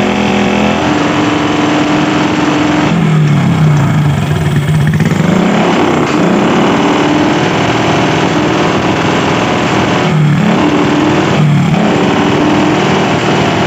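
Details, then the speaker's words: Honda Supra motorcycle used for hauling, smoking, with a bare-pipe exhaust: loud, rough, uneven idle with ragged blips and backfiring into the carburetor. Engine damaged because oil is not reaching the top end. "jadi barangkali teman-teman sudah jelas yaitu motornya seperti itu pertama ngebul kedua Brebek parah nembak-nembak Hai motornya nembak-nembak ke bagian karburator"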